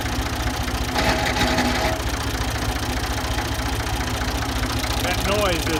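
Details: Ford 2000 diesel tractor idling on Diesel Purge, with a weak battery: steady, hard knock three to four times a second, sharper than normal clatter; owner suspects bad injectors, cause unconfirmed.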